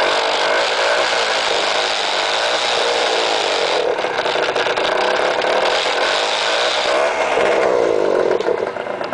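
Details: Peugeot Speedfight two-stroke scooter: buzzy engine rising and falling with throttle, rattly scraping clatter riding on it; strange engine noise, cause unclear.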